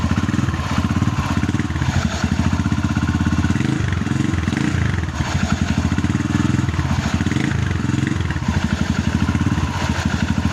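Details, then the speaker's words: Barako 2 single-cylinder motorcycle that has repeatedly needed connecting rods: heavy, rough rattle from worn, loose crankshaft main bearings, replaced at the machine shop. "Na Bale ang nakita kong sira dito ay mga bearing ng segunyal"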